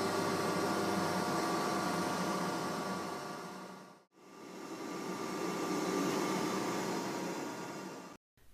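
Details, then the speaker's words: Close-coupled centrifugal water pump slowed by Flux Drive adjustable speed drive to reduce flow: even steady rush and hum with no crackling or rattle; normal pump running without cavitation. "listen as the flux Drive slows the pump down to reduce the flow rate"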